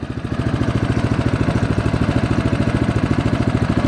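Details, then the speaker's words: 2015 Craftsman snowblower, full choke: small engine chugs in a lumpy pulse about three and a half beats a second, never smoothing, running rich from too much gas and choke before dying. "he crapped out because it was a na there was a too much gas too much choke so let's do that again"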